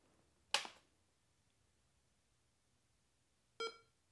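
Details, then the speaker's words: Tandy 1000 after the CPU was moved from the wrong socket (U19, for the math coprocessor) to the correct one (U18): a click, then a single short clean POST beep. The memory test appears and the machine boots normally. "hey that sounds better oh great we've got the memory test on the screen looks like the machine is booting"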